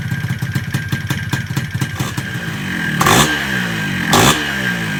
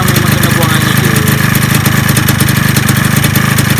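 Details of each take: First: Yamaha 125Z two-stroke motorcycle with 1mm jet, first start with exhaust fitted: harsh clattery running with a few sharp revs; extra noise because the top cover is off. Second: Yamaha 125Z two-stroke at a quick, steady idle putter with no knocking, top cover temporarily fitted and head cover left off; the cover makes it a little quieter; normal idle.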